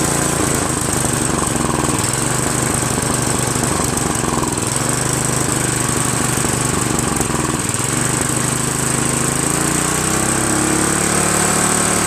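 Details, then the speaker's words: Free Craftsman 5.5HP OHV 26-inch snow blower, after carburetor work: single-cylinder engine racing with rough uneven drone swelling and sagging instead of holding speed; engine surging, governor barely moving, owner suspects governor adjustment or carburetor needing full cleaning. "I think I have to adjust the governor. So I've been messing with this carburetor a little bit and the governor. It's still surging a lot."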